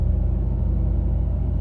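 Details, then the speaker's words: 1999-2005 Pontiac Grand Am after 10-minute Passlock 2 relearn for a bad ignition lock no-crank no-start: deep even rumble with steady pulse, no misses or knocks; normal idle. "So it won't start. Turn the key off. And it's running again."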